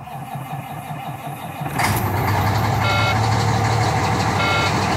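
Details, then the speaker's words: Volvo VNL with Cummins ISX diesel and no-start starter problem, low rear tank air: quiet hum, then engine catches about two seconds in and settles into a steady diesel run with repeating warning beeps; starter intermittent, started on its own. "that's weird got atime starter all that stuff went through the fixing had to pull start it and then it decided to start on its own ain't that something"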